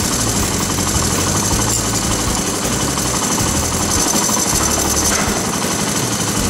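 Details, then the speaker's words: Honda ATC/TRX/XR 185/200 single idling during cam chain adjustment: busy metallic clatter when the tensioner is pushed down, quieting when pulled up and locked; stuck tensioner causes noisy loose chain. "So listen real careful when it's idling. You'll hear that chain go to rattling when I push that tensioner down."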